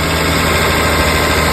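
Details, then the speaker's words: 2002 Toyota Camry 3.0L 1MZ-FE V6 after starter replacement, battery disconnected so idle may need relearning: steady even low idle rumble, no misses, knocks or hunting; normal idle. "computer will probably have to um make adjustments to the idle turn it off start it again start it again"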